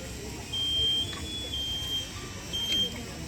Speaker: If you hear the beeping of their packs, what that means is when you sit idle and you don't move, the pack has a built-in safety feature to mimic if a firefighter is down,